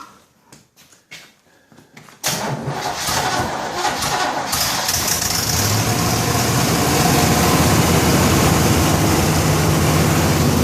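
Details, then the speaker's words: 1963 Corvette Z06 split-window, fuel-injected, solid-lifter, period-correct V8, cold start in freezing weather. Catches after a few cranks and settles into a fast, even idle with a quick ticking puff on top: small exhaust leak. "got a little bit of an exhaust leak that sounds like solid lifter fuel injected period correct motor period correct"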